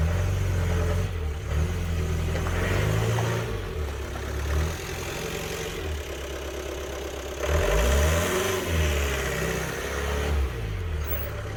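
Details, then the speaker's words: 1993 Ford Transit camper with a 2.5 litre diesel, with no power and heavy black exhaust smoke. The diesel labours with low, rising and falling revs and no real pull as it reverses and moves forward. Loss of power. "I can't reverse it and drive it enough because I haven't got the room and there's just no power in it at all"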